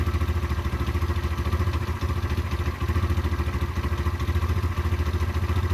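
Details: Derbi 125 motorcycle (model unknown), a former non-runner, being ridden after a carburettor clean and fuel tank clean: even, regular single-cylinder thumping at a steady beat with no misfires or rattles; it runs smoothly and normally.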